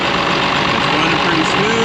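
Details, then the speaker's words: Ford F-550 swapped to a Cummins diesel with compound turbos: an idle that is rough right after startup, suspected air getting in or cold running, then settles into a steady, even diesel clatter with no misses, knocks or hunting. "it has a little bit of a rough idle right off the bat but right now it's sounding pretty good"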